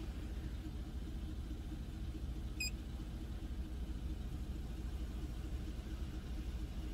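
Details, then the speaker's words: Engine at idle with the step EGR valve commanded open by scan tool to about 23–29 percent: low, uneven, stumbling idle dropping to about 500 rpm and missing; misfire from excessive exhaust gas recirculation. "then 23 it kind of sounds like it's like struggling to idle and it's even lower than it was before and then 29 it kind of sounds like it's missing and it's only at like 500 rpm"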